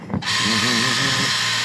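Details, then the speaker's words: Aquabot Turbo T pool cleaner with a failed wire near the factory joint; on continuous run, a brief rising whir settles into a steady high hum of two small motors running together, no grinding, working normally. "I set it to continuous run. So we have the pump running, and we also have the, there"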